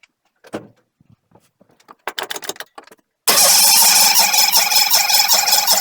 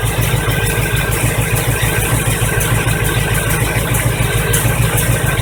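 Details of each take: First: 1985 Chevy truck cranking after a fuel pump change, alternator bracket broken and belt loose: harsh, uneven cranking bursts with a high metallic whir; starter noise, owner suspects the starter needs a shim. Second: 1985 Chevy truck V8 running again after fuel pump replacement; fuel reached the filter and carburetor bowls after some cranking. Deep, steady burble with even beat, no misses or knocks: normal running.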